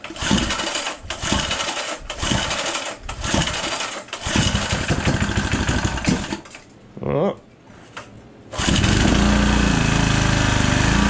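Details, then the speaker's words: Small pull-start engine, long stored in an unheated building with a rusty fuel tank, first run in a long time: several pulls, then it catches and runs with a steady high squeal; the owner suspects the starter's one-way bearing. "so all that squealing we got going on there that sounds like a problem with the one-way barring I don't have any of those the last time I tore one apart I broke it"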